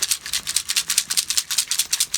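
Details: Battery pack from a rack-mount APC UPS, swollen, cracked and leaking acid, shaken by hand: dry, gritty rattle in quick shakes about seven a second with no liquid sound; the acid has dried up and the cells are finished.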